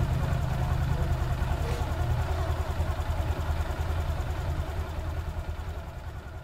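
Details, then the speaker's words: Automatic scooter after replacing worn CVT drive bearings that caused a grinding noise: steady low even idle with soft regular pulse, no grinding or rasp from the drive side; noise gone, normal again. "Ah teman-teman bisa dengarkan dan suaranya sudah hilang dan aman kembali seperti semula gadis ya"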